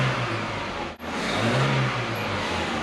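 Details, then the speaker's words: 1985 Nissan 720 engine, freshly rebuilt, first start in over a month, in neutral with oil pressure confirmed: runs steadily with a quick dip and pickup in revs, no knocking or ticking; burning some oil, normal running. "without further ado neutral that's water holy buckets does that sound good"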